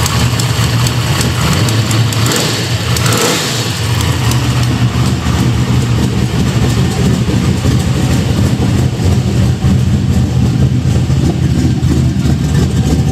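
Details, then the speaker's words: Chevelle V8 after fitting a cheap used exhaust from a 70s Caprice: loud revving and settling, much quieter but with a raspy, puffing edge over the exhaust note; exhaust leak. "Seems like it quieted up quite a bit. Does sound like I got a pretty good exhaust leak up here."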